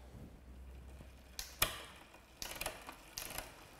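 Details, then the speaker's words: Bicycle after replacing the rear gear cable and adding tension at the barrel adjuster: crisp single clicks at each gear change with no grinding or chatter, indexed and shifting smoothly across the cassette; normal gear shifting. "that the gears are indexed and it shifts smoothly across the cassette that seems to be pretty much spot on"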